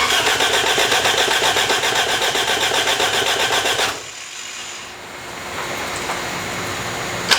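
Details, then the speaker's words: Cheap $500 project car being started: steady, even cranking about four beats a second for four seconds without catching; crank no start, owner suspects ignition timing is out. "sounds like the timing's out"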